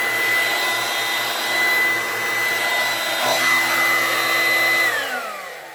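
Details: Dirt Devil corded hand vacuum, fairly old unit, loudest of several compared: loud steady screaming motor whine over low hum, holding pitch, then sagging and winding down at switch-off; normal running.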